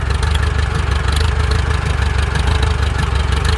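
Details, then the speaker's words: Antique Farmall tractor just started on choke at about third throttle, out of gear, with new Chinese carburetor not yet adjusted: low, lumpy, uneven idle that hunts and stumbles; later traced to an air leak, possibly from a poorly fitting gasket. "almost had her there we go she run in new carbon all i got to play with that car but it ain't adjusted right"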